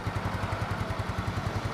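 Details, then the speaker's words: 2010 Yamaha Mio scooter, 10-year-old engine, after first teardown, with plug and filter cleaned: even quick single-cylinder putter at idle, solid exhaust note with no leaks; healthy smooth idle. "bener-bener masih garing banget. Suara knalpotnya tuh masih mantep gitu, nggak ada bocor-bocor, itu nggak ada. Bener-bener masih mantep suaranya."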